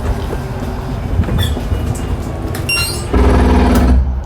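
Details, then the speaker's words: 2020 Forest River Wildwood 27RKSS travel trailer slide-out extending; a sudden loud buzzing gear grind lasting about a second as the room reaches its stop, the normal sign it is fully extended. "once you hear that gear grinding noise you know you're fully extended"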